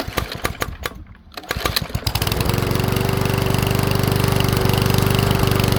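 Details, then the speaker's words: PowerSmart 170cc push mower after valve adjustment for hard pulling; several pulls, then steady single-cylinder run with faint irregular pops; popping cause not found, pulls much easier now, seems to run a little slow. "you know it still does that little popping sound and I don't think that I'm going to be too concerned about that because it certainly pulls over way easier than it did before"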